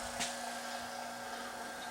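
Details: AC vacuum pump evacuating a Chevy/GMC truck AC system (Silverado, Sierra, Tahoe or Suburban) after clutch/compressor work, about 10 minutes in, vacuum holding steady: quiet, steady hum with clean even tone, no surging or sputtering; pump running normally.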